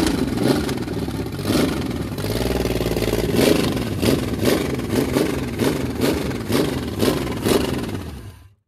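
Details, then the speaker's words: Carbureted 1986 Chevy 4.3 V6 with a new distributor, steam visible: stumbling, surging idle with roughly two uneven pulses a second; rockers not yet adjusted, owner suspects one is too tight; rough idle. "I'll get it we'll do is we'll take the Val covers off tomorrow adjust the Rockers because we haven't adjusted rockers on this thing yet so that may be why it's not idling I may have one too tight"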